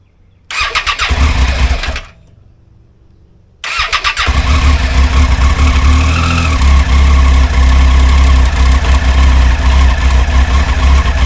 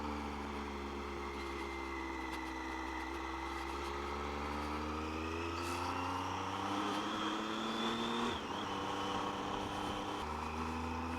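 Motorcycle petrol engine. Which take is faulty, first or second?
first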